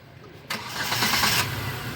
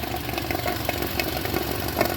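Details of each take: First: New Hyundai Santro, 890 km, after repairing misfire and overheating with sludged oil and cut coolant hose, run on water before coolant: quick crank, clean catch, smooth quiet idle. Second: 2020 Hyundai New Santro, only 890 km, overheated with engine light on: uneven petrol idle with irregular sharp ticks and knocks, misfiring and rough; coolant mixed into engine oil and water in exhaust, head to be removed.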